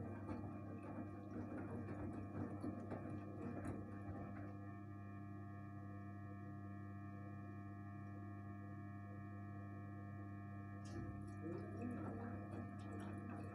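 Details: One-year-old Gorenje 8 kg inverter washing machine emitting a steady hum with a clear whining tone; strange abnormal noise, cause not identified.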